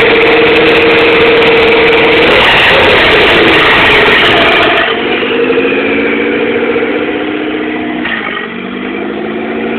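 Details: 1997 DSM GST turbo with EVO III 16g turbo, no downpipe, FIAV bypass plate, EGR blocked, vapor canister and vacuum lines removed: idle surges, pitch sagging and climbing every few seconds; cause unknown.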